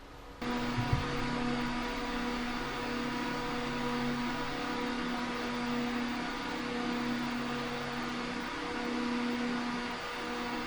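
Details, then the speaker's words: Corsair RS120 ARGB PWM fan in a Frame 4000D case run at about 99% (maximum around 2200 RPM): an even, smooth whoosh with a faint steady hum, no ticking or rattle, normal fan at full speed. "And now we'll take it all the way up to pretty much 100%. It'll be 99 because it's hard to actually get it to go that. And you can hear it already."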